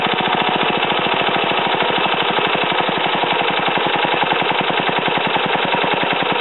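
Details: Ariens TA20A Trans-a-matic tiller after engine rebuild and plate clutch repair, carburetor untouched: small single-cylinder pulls along with a steady, even firing beat while tilling wooded ground, no misses or knocks; normal running.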